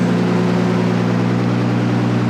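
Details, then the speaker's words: Nissan R32 Skyline first running after 4 years without oil circulating, not attached to a drivetrain (blown diff): idle holds a steady, even hum with no ticking from the top end; the head is surprisingly quiet. "that's cool that's cool he sounds good oil hasn't been pumping through this thing in like four years the head's nice and quiet surprisingly"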